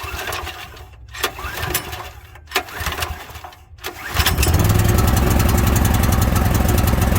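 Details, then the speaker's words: Brand-new pull-start engine on an International Harvester 4130 skid steer, first start with choke halfway. After a few pulls it catches and jumps to a steady flat-out roar with no throttle input; runaway to full speed, and damage was later found. "all right well uh that was strange it pretty much just took off if you noticed I haven't pulled the throttle down and it went full bore"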